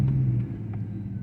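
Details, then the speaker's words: 2005 Chevrolet Silverado, noise when braking slowly with a spongy pedal: low groaning buzz at a slow stop, fading away; false ABS activation suspected from a faulty wheel speed reading. "les digo que yo me acuerdo de una Silverado que me hacía precisamente esto y era por esto de que no detectaba"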